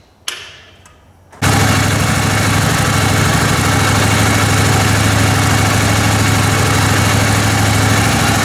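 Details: Kohler Command Pro 27 hp V-twin lawn mower just after a blown head gasket repair (it had been burning oil and fouling a plug): a short crank, then a steady, even thumping idle with no knocks or misses.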